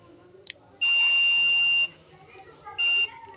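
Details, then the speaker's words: 17 W LED bulb repair, multimeter continuity test on further diodes: two clean high beeps, one long and one short, in both directions; either the multimeter has a problem or all the diodes are shorted, not confirmed. "तो यहाँ भी beep की आवाज़ दे रहा है। इसका मतलब या तो हमारा मल्टीमीटर में कुछ प्रॉब्लम है या सारे डायोड यहाँ पे शॉर्ट हैं।"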